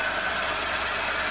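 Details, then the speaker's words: Suzuki SX4 with engine running: steady hissing, gritty scream with faint high whine from the lower front, confirmed by stethoscope at the A/C compressor; failed compressor clutch drive pulley bearing, not the idler or water pump. "as you can hear guys i know you can't localize it but the noise does appear to be emanating from the lower front which is the compressor"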